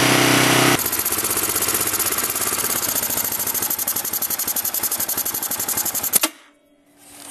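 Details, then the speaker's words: Yamaha Raptor 660 quad warmed up on choke: uneven, lumpy single-cylinder idle, then a pop and a stall, with power loss. A split carb-to-cylinder intake boot leaks air; it is being replaced. "there's our problem we have a blowout it's a nice slit so that's why I've been losing power and it's and that's probably why it's backfiring as well"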